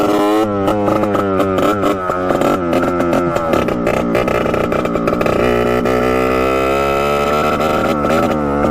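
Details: 1989 Yamaha YSR 50 two-stroke, sat for years, bump-started with no kick lever: screams up but the tone wavers and stutters near the top at full revs; breaking up at high revs, cause unknown, possibly spark-related.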